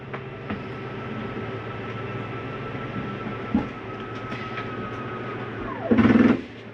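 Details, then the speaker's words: 2022 Catalina Legacy 303QBCK travel trailer slide-out retracting: a steady motor hum, then a brief loud clatter as the room reaches full travel. This is the normal end-of-travel stop of the slide mechanism, with no grinding. "want you to hear that noise that noise is okay to hear there's nothing grinding that's the slide mechanism telling itself not to come in any further"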